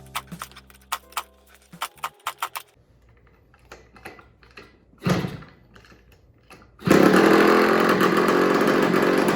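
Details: Old Italian-made 50cc two-stroke mini MX dirt bike, first run after fitting the spark plug and adding gas: after some clicking it fires and settles into a steady, crisp buzzing idle; idle turned down and it runs a little better.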